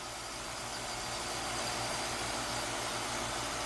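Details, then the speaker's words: Heat pump outdoor unit after replacing a wrongly fitted 45/5 MFD dual run capacitor with the correct 40/5 MFD and installing a new disconnect. Steady airy fan rush over an even low compressor hum, no buzzing or labouring: runs smoothly. "Man, that sounds so smooth now."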